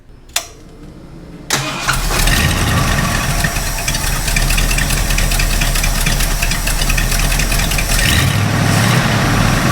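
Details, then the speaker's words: Ford F250 460 V8 with new Holley Street Avenger 670 CFM carb: cranks, catches, then a loud, uneven, shaky idle that never smooths; idle screw has no middle ground, either too high or too low; rough idle. "the problem is when you're sitting at an idle it's just so rough and you know I've tried adjusting the idle speed screw and there's no middle ground for this"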